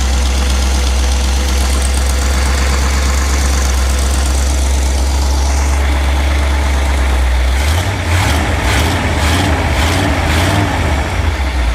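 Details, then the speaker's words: 1977 Chevy G20 van, carburetor cleaned and new fuel filter, just started after priming: deep steady idle rumble, rougher patch near end; mostly normal, choke thought to open too early, engine dies shortly after. "Yeah, as soon as you got gas, it started right up. Sounds pretty good."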